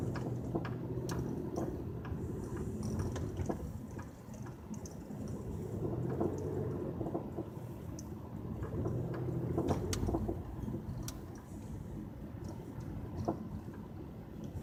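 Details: 2007 Pontiac Grand Prix GT: scattered dry creaks and clicks in no steady rhythm from the front end, source untraced despite new struts, lower control arms, hubs, engine and transmission mounts and CV axles.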